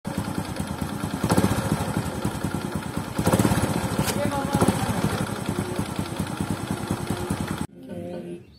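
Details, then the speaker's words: Honda Supra X125 at idle: busy idle with a fast loose tek-tek rattle, about three a second, also when blipping throttle, from worn clutch basket and double clutch shoes with side play, gap between shoes and basket too large. "kendala bunyi kleetek-kleetk di bagian bak kopling pada Honda Supra X125 seperti ini yaitu pada bagian mangkok dan kampas ganda yang geraknya itu sudah mulai ada sedikit gojak sehingga bunyi tek tek tek selain pas stasioner juga ketika mau diangkat gas itu Bu tekek"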